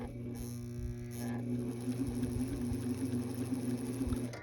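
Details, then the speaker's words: Vintage Viking Husqvarna 33-10 sewing machine after full cleaning and tension-unit repair (replacement spring, straightened lever), running slowly on straight/zigzag: even soft whir, low hum, light regular tick, nothing rough; normal running. "it just sounds nice it's just nice it straightens zigzag only"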